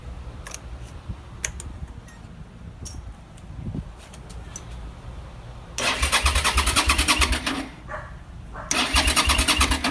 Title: New battery, still no start